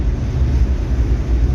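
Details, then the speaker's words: Nissan President H252 cruising at 110 after work by The Skid Factory. Very quiet cabin with slight wind rustle, mostly tyre noise, and a faint diff whine noted by the owner. The engine drone is low and even; quiet highway cruise. "So yeah, this is cruising president style. As you can hear, it's very quiet here. There's a little bit of wind rustling around the side, but it's probably tyre noise more than anything."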